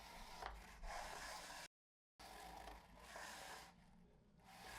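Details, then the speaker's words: Henry Allergy HVA160 canister vacuum, alternate floor tool: only a soft low rubbing as the head slides, with no squeak; unlike the original tool, whose out-of-spec squeegees scrape and squeal, this one glides quietly. "thankfully the other floor tool doesn't make that sound i want you to hear"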